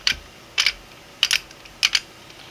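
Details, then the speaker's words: Single-print 3D-printed 1/2-inch quick-release ratchet turning counterclockwise: crisp paired clicks about every 0.6 seconds, sharp and even; pawl catching properly, won't turn the other way. "now we're going to turn counterclockwise you can hear it turning clicking"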